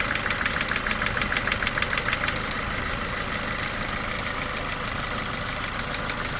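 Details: Mercedes A-Class W168, 1.6 L petrol, automatic, 18 years old, about 150,000 km: sharp metallic clacks about three per second over the idle, loudest at first then fading, beyond normal valvetrain noise; source unknown.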